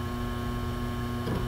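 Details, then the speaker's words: Synology DS918+ NAS with four mechanical hard drives, about a year old: steady low buzz with constant hum as loose drives vibrate in their bays, started after a couple of months of use; fixed with stick-on Velcro tape. "but I definitely want to fix that annoying buzzing vibration sound and today I'm gonna show you how"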